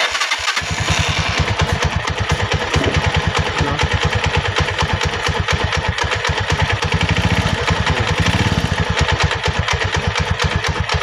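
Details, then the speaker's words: Rusi 175 single-cylinder motorcycle idling with a loud, Kubota-tractor-like clatter, described as a cricket-like sound, on every beat and no droning; suspected worn clutch damper. "Kubota so pag ganyan ang issue mga padreng ang tutumbukin natin diyan dito sa kanyang parteng clutch Yung kanyang clutch damper"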